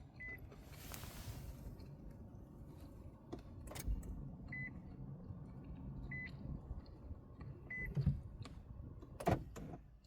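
Faint electric whir with short high beeps spaced a second or so apart, and the engine never catches: a no-start, cause unknown.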